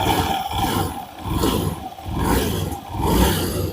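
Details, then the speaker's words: Honda Beat Pop scooter after CVT repair with the clutch plates reset, revving: engine swells and drops through four smooth rev cycles with no rattle or knock; the CVT runs smoothly, rattle gone. "ada lagi suara bising, kan? Tidak ada lagi suara berderak atau berisik. Mulus."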